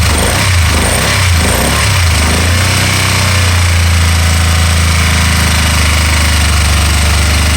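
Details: 2012 Can-Am Spyder RT-L 990 at idle: a rough, stumbling idle with uneven low thumps for the first few seconds, then a steadier beat. This is an intermittent misfire that then cleared by itself.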